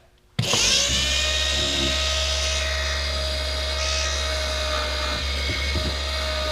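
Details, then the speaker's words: Original turbo oil scavenge pump on a 12 V, 6 A bench test, still noisy even when its line was pinched: motor clicks on, then a loud steady high-pitched electric buzz at constant pitch. "it pinched like this and it was still making all kinds of noise so let's set up a bench test"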